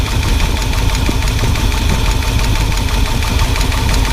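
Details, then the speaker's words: 1978 Ford F-150 with 460 big-block V8 and a bad misfire, idling: sharp, rapid ticking clatter from the top end; first suspected a bent pushrod, then found a flat spot on the cam lobe (spun cam). "all right guys we've concluded that we have a rolled cam spun cam yeah we got a flat spot flat spot so we're going to be ordering some parts now"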